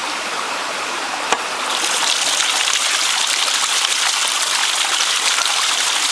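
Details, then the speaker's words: Ram pump drive pipe (penstock) with low creek flow: steady rushing water with an irregular hollow gurgle instead of sharp hammer beats; air trapped in the penstock compresses, so no pressure builds to lift the weights. "You hear that? That gurgle, that means there's air in the penstock. Air in the penstock is no good."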